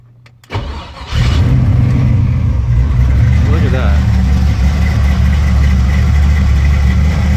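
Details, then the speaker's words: Engine with FiTech 1200hp power-adder 8-injector EFI, first start after sitting four weeks, after the fuel pump primes: short crank, then it catches cleanly and settles to a steady, even idle without misses or knocks; normal start. "start in four weeks not too shabby"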